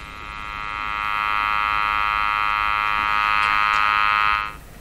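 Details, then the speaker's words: Jewel Model 505 vacuum tube clock-radio that will not align, while its oscillator is being padded: a steady, buzzy sweep-generator test tone swells in, holds, then cuts off, heard through the receiver during alignment near 600 kc. "Okay, let's carry on with what we were going to try. I'm going to put on the sweep. You can hear it. Ramp it up."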